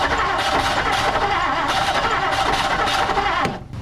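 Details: 1959 Plymouth Savoy cranking but not starting despite showing spark and fuel; coil ohms read off and a new aftermarket carburetor is suspected. Starter churns unevenly three to four times a second with no catch before cutting off.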